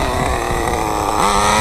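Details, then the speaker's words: RedCat Tornado S30 RC nitro car after rebuild, cold-blooded and running a little rich: small engine buzzes at a slow, uneven idle with a brief rise in pitch; idle speed too low. "it's running a little bit rich it's just part of the reason I had a hard time getting going but should fire it up my idol could come up a little bit"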